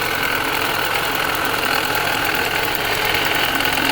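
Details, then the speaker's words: 2020 Ford Escape 1.5, engine running, AC on: loose, uneven knocking about three taps per second over steady running with hiss; source unconfirmed, suspected alternator. "I thought it was the alternator. I think it's a water pump. No? Not a water pump either. I hear most of it coming out of the alternator."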